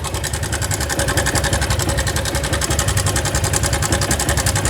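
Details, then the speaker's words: Honda 160F motorcycle idling: a fast, steady metallic ticking from the cylinder head, about three clicks a second. The owner suspected rod knock or rockers, but the cause is a faulty cam chain tensioner letting the chain slap. "Es un ruido bastante molesto. Lo trajeron acá, amigos, porque él piensa que es el motor, que la moto está desvielada o tal vez son los balancines. Pero el problema, el problema que anda causando ese ruido es el tensor de la cadenía."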